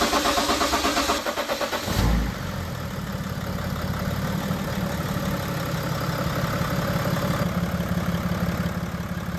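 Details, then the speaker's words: 2013 BMW X5d diesel, bought with severe reported knock, after new coded injectors installed and fuel system primed: short crank then even, steady smooth idle with no sharp knocking. "All right, it's run smooth. It does take a while for the injectors to bleed off the the fuel on the inside or the air on the inside."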